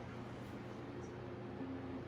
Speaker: that's the reason why i have sort of a slow start up because those blades are so heavy and it does make more significantly loud noise it's doing an excellent job